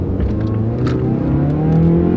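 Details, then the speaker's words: Mazda Skyactiv 2.5-liter naturally aspirated four-cylinder, 6-speed automatic, about 153,000 miles, revving under acceleration: deep, raspy exhaust note climbing with revs, louder from a hole at an incorrectly welded crossover pipe; exhaust leak. "Now this one's a bit noisier, because it does have a little hole on an exhaust pipe where they welded a crossover pipe on it incorrectly, and it now has a hole in it, but I mean, that's no big deal."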